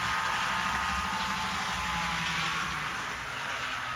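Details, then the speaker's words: MTH F3 HO scale model locomotive at high speed: steady hissy whir with low gear growl, more gear noise and motor noise than at low speed, where it runs quiet. "once you get it up to speed though you can hear more gear noise and the motor also starts to get kind of"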